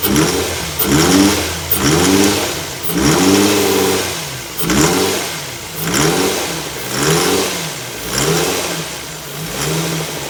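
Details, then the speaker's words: 2005 Infiniti FX35 with the 3.5 VQ engine being blipped about once a second: a heavy knock that rises with each rev and fades as it drops, from a spun bearing; the engine is to be swapped. "sound of a spun bearing. Beautiful, lovely sound of a spun."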